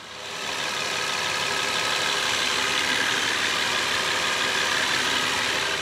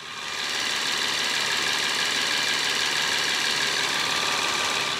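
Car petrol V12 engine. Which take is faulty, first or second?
second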